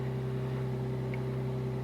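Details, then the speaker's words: Low-compression turbo engine, cold start after removing a suspect dirty throttle body causing high idle: smooth, even hum at 1300–1400 rpm, no hunting, near target; healthy cold fast idle expected to settle to 650–700 when warm. "okay so that's not super high that's uh 14 13. i think that's pretty close to target i could probably open the tune file and see"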